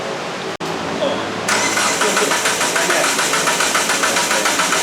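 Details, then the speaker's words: Turbo Sonata on an eBay turbo, at the dyno shop: starter cranks steadily about three and a half turns per second but never fires. Suspected: the zip-tied rubber hose on top of the newly installed fuel pump came off, cutting fuel. "Of course not, dude. Why would it? Probably came off your... Oh, when you installed the fuel pump, did you zip tie the rubber hose on top, or did you actually use like a hose clamp?"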